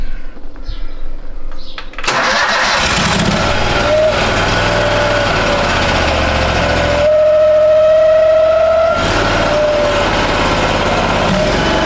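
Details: 2013 Steiner 440 air-cooled tractor at 698 hours, after a crank/no-start with no fuel delivery (earlier a bad ground), given choke and throttle: catches after brief cranking, settles into a steady even run and picks up cleanly with throttle, running normally.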